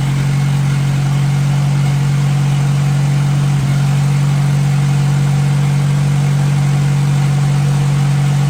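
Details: 1957 Hercules flathead four-cylinder engine with magneto, just revived, oil topped up after being a quart low; steady even low hum, no knocks, ticks or misses; normal idle.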